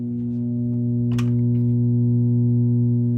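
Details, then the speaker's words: Sony TC-270 reel-to-reel deck after recapping, still humming: constant low buzz with faint clicks, right channel only, left dead quiet; mono switch test points to the power amp; mains hum. "And it's all on the right channel again. See, I'm panning over. All the way left, nothing. Dead quiet. Right channel only."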